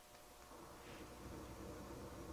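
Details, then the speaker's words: Sony STR-230 receiver set to the phono input with no signal: a steady hiss with a low hum that should be silent, the same as on tape. Noise from the faulty FM tuner is backfeeding into the amplifiers. "Same noise is there. The noise from the tuner itself is backfeeding into the amplifiers and coming out the speakers, even though there's no signal on phono or tape, right?"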